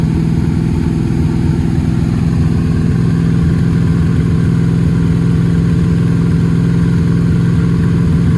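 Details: Camaro V8 before first drag strip run, idling with uneven loping beat and irregular exhaust pulses, seems firing on six or seven cylinders and down on power; misfire cause unknown, fresh spark plugs planned to try.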